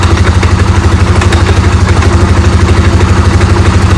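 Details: Polaris Sportsman 550/850 after clutch repair with two shims fitted to stop idle creep and hard shifting: strong, even idle pulse about three beats a second with no slipping or dragging; clutch now disengages properly.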